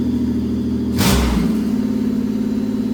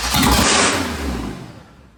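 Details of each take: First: Pontiac Fiero after 3800 engine swap, first start once running; engine catches, two quick throttle blips lift the pitch, then an even steady idle before coolant is filled; normal start and rev. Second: Pontiac Fiero with swapped 3800 engine, first start: fires straight into a loud high-rev roar instead of idling, then shut off; bent throttle cable lever hitting the throttle body likely holds throttle open.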